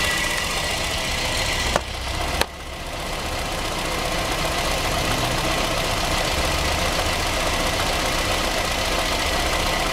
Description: Misfire. Reving the engine, note vibration.